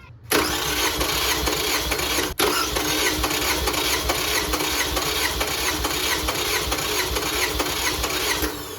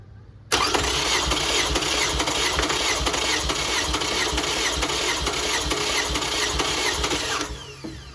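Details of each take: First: 2005 Toyota Camry LE 2.4 2AZ-FE, oil burning, compression test with EFI relay pulled and plugs out: steady starter cranking with an even beat about two pulses a second; cylinders around 150-155 psi, consistent compression. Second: 2005 Toyota Camry LE 2.4 2AZ-FE, oil burning, compression test on cylinder 1 with EFI relay pulled, plugs out, throttle wide open: fast, even whirring crank; cylinder 1 reads about 150-160 psi, which the owner considers not good.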